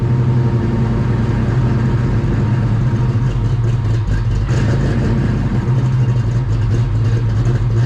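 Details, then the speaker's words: 30-year-old Fox-body Mustang, unused since February, running: a deep, steady rumble with a small swell in revs, firing evenly with no misses or knocks. "be able to hear it's really loud in this car"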